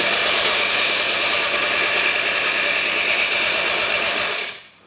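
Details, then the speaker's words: Kenwood Chef KM300 food mixer after replacing worn motor brushes and refitting the drive belt: a steady, even high-pitched whirr with no grinding or rattle, then a clean spin-down; the motor runs normally. "and the motor is working which is really good news"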